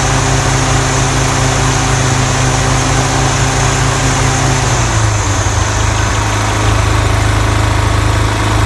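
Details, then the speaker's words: Toro TimeMaster 30in mower after replacing the spindle lower ball bearings and setting deck belt tension: steady, even engine drone with no rubbing or scraping underneath; earlier deck rubbing and slow blade engagement repaired, normal running. "great we have repaired the issue with the mower unusual loud noises and problems with the blade engagement"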